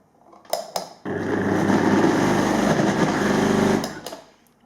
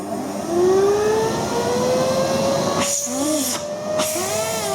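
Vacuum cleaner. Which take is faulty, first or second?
first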